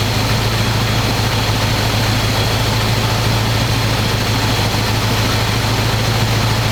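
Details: 1985 square-body 454 big block, 4-speed, sat 20 years, oil and filter changed; after adjusting idle screw that wasn't touching throttle, warm engine idles smooth: deep steady low rumble, even beat, no knocks, misses or stumbles. Normal idle.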